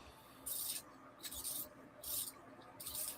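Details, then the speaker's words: Toy water wheel turning: high, scratchy squeaks in bursts about once a second, wheel sticking; owner suspects it needs WD-40, cause unconfirmed. "Yeah. Listen to that squeaking. It's terrible."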